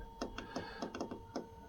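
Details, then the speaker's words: Hcalory/Blazecore second-generation 8 kW all-in-one diesel heater, first power-on, microphone moved closer: sharp light ticks about four a second over a steady fan hum as the dosing pump purges diesel through; no heat yet, normal. "That's just now purging. So, it's going to send the diesel through, the fuel through."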